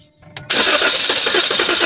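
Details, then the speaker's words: 2023 Toyota Veloz automatic that cranks but won't start: steady fast cranking, catches weakly but never runs; spark now present but no fuel, the pump runs strongly but has no pressure; crank no start from fuel pressure loss. "So ito na. May lumabas na na kuryente. Yung gas na lang ang wala."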